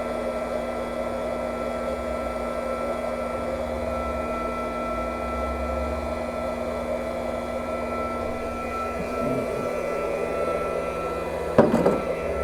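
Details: Pump draining the old leaking 1998 propane water heater tank during replacement: steady electric drone with constant, unwavering tone, then a short knock near the end; pump runs normally.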